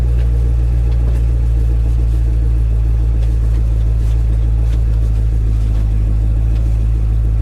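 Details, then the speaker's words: Camaro SS at salvage auction: deep, steady, even V8 idle with no knocks, misses or ticks, good oil pressure; engine healthy. "nice [Music] good oil pressure it's a steel right here guys"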